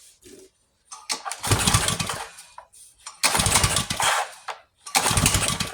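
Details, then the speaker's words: Yard-sale pressure washer engine with its carburetor just refitted, choke on and no air filter fitted yet: repeated pull-start bursts catch briefly and die with sharp pops; backfiring during starting, so starting fluid is added. "Oh, got a backfire. Come on. Maybe a little starting fluid. A lot of starting fluid."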